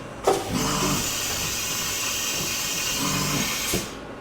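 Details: Used CNC mill bought for about 1,000 dollars without seeing it run, tool called via M6 into the carriage: sharp clunk, smooth motor whir for about three seconds, then a clean clunk as the tool seats; normal automatic tool change.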